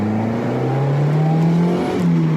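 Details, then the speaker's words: 1995 Mazda Miata after ignition timing corrected from about 20 degrees advanced, which had caused predetonation: engine note climbs smoothly through the revs under load with no pinging or rattle; healthy acceleration. "I got rid of predetonation by adjusting the timing and here's how I did it"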